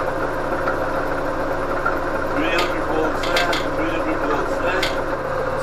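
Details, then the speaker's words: Electric-converted Winnebago LeSharo: DC motor speed turned up driving the alternator with the AVR engaged, producing about 300 volts; steady hum with fixed tones and light background clatter. Alternator running normally under load. "so i'll turn up the speed on the dc motor sounds pretty good"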